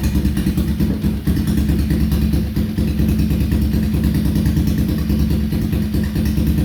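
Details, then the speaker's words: Cleveland CycleWerks Heist bobber, kick-started, with a newly fitted carburettor not yet set up properly: a loud, uneven thumping idle with a low drone and some clatter. Rough running; valve clearances and carb mixture are to be reset. "So as you can hear, it sounds really nice, but this new carb, I've not got it to work properly yet."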